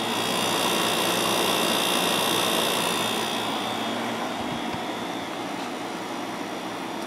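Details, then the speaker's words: Second Fedders 7500 BTU window air conditioner (rated 7.5 A, 880 W) on low fan at about 6.8 A: a steady rush of air with a thin high tone. The compressor is louder than the other 7500 unit but sounds fine. "it does sound louder than the one on the uh other 7500 but doesn't sound bad or anything at least not to me"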